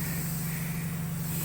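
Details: Honda Civic with air ride suspension: steady, even hiss with a low hum underneath as air escapes after it is pumped up hard; a noticeable air leak.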